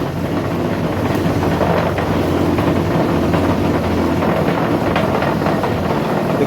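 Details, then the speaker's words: Ingco bench grinder that hummed loudly and wouldn't start, after motor repair (capacitor was the fault): starts immediately, steady even motor roar at constant speed with no hum-stall or knocking; normal running. "hit the switch and immediately it starts to run you can see you can hear the sound it's running so you give it just yes you can see that it's running fine so guys problem solved"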